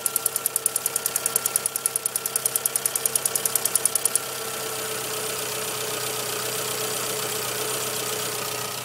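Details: 1997 Suzuki Swift 1.3L petrol engine idling with a sharp, regular tick about three a second that stops partway through.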